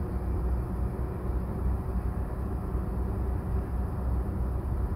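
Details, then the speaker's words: Nissan Pulsar 1.2-litre petrol engine on a cold start with the AC off idles with a steady, even low rumble and no hunting or misses. The dealer blames the AC compressor load for rpm jumps with the AC on. This is a normal cold idle. "i did a cold start this morning with the ac off and yeah the engine ran smoothly see for yourself"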